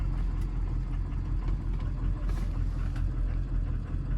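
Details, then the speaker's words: 2003 Ford 6.0 Powerstroke turbo diesel, just stopped after a drive: low, uneven idle lumping and wavering about once a second near 600 rpm, with jittery ICP. It smooths out in park. ICP fault likely; IPR issue suspected. "now you can hear it she's running like poo poo very abnormal it's like just doing all sorts of weird stuff"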